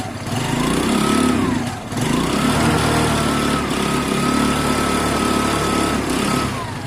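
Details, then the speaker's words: Kawasaki ER-5 with genuine 15,000 mileage on its engine, riding: engine pulls smoothly through gentle rises and falls in revs, no knocks or misses; normal running. "rides it just it just pods along it it really doesn't pull your arms off this thing does this thing pulls strong it doesn't pull you off it just pods along"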